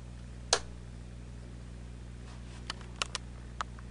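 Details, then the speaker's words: Monarch shortwave radio: low steady filter hum under switch clicks, not super bad but annoying, staying the same as volume is turned up and on a station; classic hum from filter capacitors. "this is a monarch radio it's got a couple of short wave bands of course al and it's got a classic filter hum turn this thing on"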